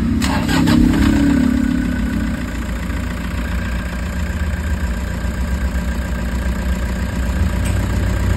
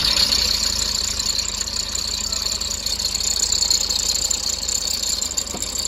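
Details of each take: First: Toyota HiAce diesel after new idler bearings to cure engine noise: after the start it settles into a steady, even idle with no whine or bearing rumble; normal idle. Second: Toyota HiAce diesel at idle: a steady high-pitched whine and hiss over a quiet idle, traced to worn alternator brushes and a dry idler pulley bearing; the alternator is removed for the fix.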